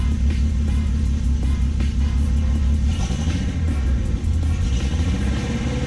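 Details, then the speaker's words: Car with newly installed mock-up exhaust: deep, even exhaust rumble rising smoothly with revs and settling back, no rasp or blowing; idle and revving sound much smoother and healthy. "so dill right it sounds so much smoother it's actually moving and it's idle sounds nicer everything just sounds like man nice"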